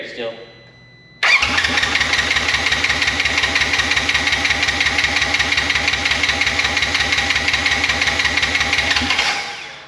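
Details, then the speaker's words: Wrecked 2016 Polaris RZR 900 S, air in fuel line: steady cranking about three beats a second for eight seconds, no firing at all; no spark found, owner suspects the Amazon-bought ignition switch. "first things first check if we even have Spartan no spark no spark"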